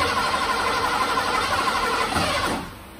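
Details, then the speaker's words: 1986 Ford F-150, sat 15 years, new fuel pump just fitted, key cycled: steady starter chug about three turns a second that never catches; extended cranking, no start, likely not fuelled yet. "okay recycle a few more times might take it a bit to get fuel"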